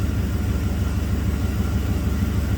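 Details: 1990 Camaro with 5.0 Tuned Port Injection V8, 29,000 km, that had a random misfire and stored code 42 (electronic spark timing); idling after codes were cleared with spark timing 11–14°; steady, even low rumble with no stumbles; runs smooth.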